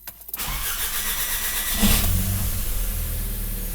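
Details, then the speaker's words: Audi A3 first start after timing work (phase shifter, broken chain, valves not bent), with fuel and oil primed: short crank, fires almost immediately and settles to a smooth, steady idle with no chain rattle or ticking; normal start and idle. "красота практически с пол-оборота то что у нас горит все приборная панель не обращаем внимание"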